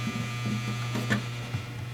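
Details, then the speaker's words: Electric faux fireplace in a hearth: steady low buzz as the small flame-effect motor shakes the bare sheet-metal case, unchanged after pressing on parts and moving it; taken apart to find the source. "After moving it around and pressing on different parts of it to see if the vibration and noise lessens, I've decided to take it out and we're going to take it apart and see what's generating this noise."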